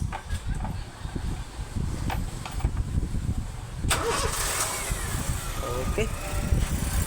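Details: 2004 Honda City i-DSI after starter solenoid and carbon brushes replaced for a no-click no-crank: cranks briefly, catches at once and settles into a smooth even idle; starter working normally.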